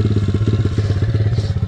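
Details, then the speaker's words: SSR 170TX pit bike warming up at idle; quick, even single-cylinder thumping, clean healthy warm-up idle. "as I let the bike warm up a little bit so while I'm letting the bike warm up"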